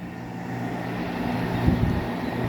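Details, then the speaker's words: Window air conditioner with a rotary compressor running on high cool. A soft, steady low hum with even airflow and no rattles or clicks; normal, quiet running. "And not to mention, it's on high cool and you can barely hear it."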